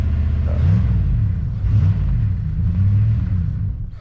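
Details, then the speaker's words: Jeep Grand Cherokee ZJ with the stock 318 V8, sat for months, started cold on a charged battery. The idle is uneven and surging, wavering and sagging, and the engine dies off throttle; it did the same last time. Rough idle and stalling, cause not confirmed. "Didn't want to stay running. She's rough. Last time I started it, she did the same thing."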